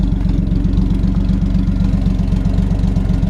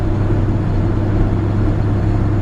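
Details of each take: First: 1966 Chevrolet C10 Fleetside V8 idling: a steady low rumble with a regular puffing tick, about four a second, from a small exhaust leak at the donut gasket where the manifold meets the pipe. It was left unrepaired. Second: 1966 Chevrolet C10 Fleetside with original 250 inline-six, three-speed column shift and highway rear end, driving at speed: low, smooth steady rumble with road drone, no knocks, misses or whine; runs healthy.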